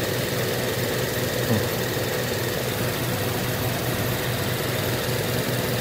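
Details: Used inverter-drive heat pump compressor, condemned for excessive vibration, run on a VFD in a homemade heat pump water heater: harsh rattling buzz with irregular knocks over a low hum; pulls high amps and cuts out, owner suspects it is bad.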